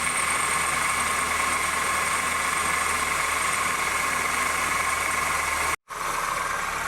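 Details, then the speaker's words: 2008 Honda New Civic, cold, at low-rpm idle, accessory belt tensioner already replaced twice: steady bell-like ringing whine that doesn't change in pitch, like a bearing. Worn power steering pump bearing. "esse carro aqui no chão tem tem que tomar do que barulho de sino com baixa rotação é frio tipo um barulho de rolamento aquilo compra tá fazendo barulho"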